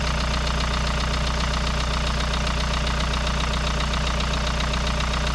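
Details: Kia Sorento Prime 2.0 at cold idle: steady idle with crisp, regular knock about two and a half per second riding over the engine; cold-start knock, source unclear.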